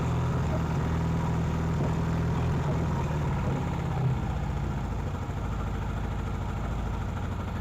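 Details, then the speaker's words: Vintage British motorcycle twin with ignition timing and carburetors double-checked, started and revved: rough uneven stumbling idle, gasoline spitting out of left carburetor; valve clearances to be checked; leaking intake valve. "All right, see all that gasoline being spit out of the carburetor? Wow, did you see all that gasoline splitting out of the carburetor?"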